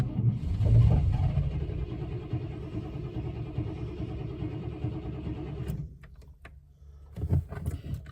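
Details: 1998 Chevrolet C1500 Silverado, coolant and oil topped up: steady low churning as the starter spins the engine for several seconds without catching; no start.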